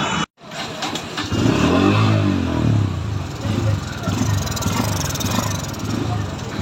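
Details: Bajaj Pulsar N160 single-cylinder motorcycle: idle surges and sags instead of holding steady; unstable RPM, cause not yet found before teardown.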